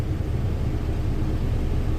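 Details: Isuzu NPR gas truck after replacing the failed under-dash vacuum pump diaphragm: engine runs with a steady, even low rumble, the previous buzzing under the dash gone.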